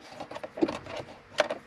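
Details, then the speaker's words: 2002-2010 Ford Explorer with no heat: sharp, irregular plastic clicks from behind the dash with temperature set to hot, stopping at full cold; failing heater blend door actuator, replaced. "you can see it's not going away until you move it all the way to cold so hot it clicks"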